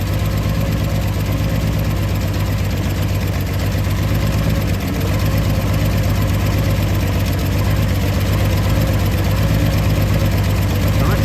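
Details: 1964 Ford Falcon wagon that sat 46 years, after replacing a fuel hose that was sucking air bubbles. Steady, even idle with a smooth low rumble and no stumbling or surging.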